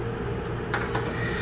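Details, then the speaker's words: Volvo VN/VNL semi truck instrument cluster warning buzzer speaker (low air/seat belt), tested on a 9-volt battery after re-gluing a dried-out connection; two crisp clicks over low hum, speaker visibly jumping, good speaker and good connection. "you can hear the speaker make noise you can see it jumping"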